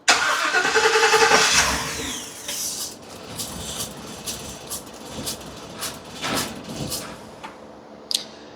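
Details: 2017 Ford E450 6.2 gasoline V8, new coils, plugs and wires, two plugs per cylinder, just started; idle stumbles with uneven puffs about three a second, misfire detected on cylinder 3.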